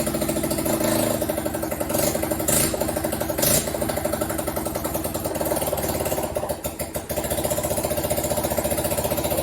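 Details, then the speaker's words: Junk Honda 250 Fourtrax ATV: the single-cylinder idle thumps but stumbles and wanders; owner attributes the slightly rough running to the carburetor. "so good to get that oil change but uh it's running a little funny just because of the carburetor but other than that it's it's working pretty good actually"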